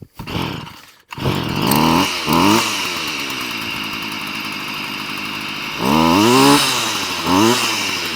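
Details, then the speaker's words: Stihl FS38 curved-shaft strimmer, two-stroke, reported hard to start, choke lever broken; started on the lawn after priming and choke, then off choke: surges and sags at high revs, hunting instead of holding steady; running rough, carb to be tuned. "Okay so it is actually running but it's not running very well so what I'm going to try and do now is just on the back of this Carby I'm going to try and just tune it"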